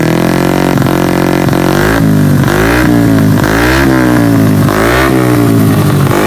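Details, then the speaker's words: Honda Beat carburetor scooter, 130 cc spec, after rebuild fixing a broken piston ring that made a harsh knock at high rpm: repeated clean blips to high revs with no rattle or clatter; healthy high-rpm running. "Ya, suaranya sekarang di RPM tinggi enggak bunyi kasar lagi karena permasalahannya dari seharnya yang ya semplak itu ya yang bagian ringnya."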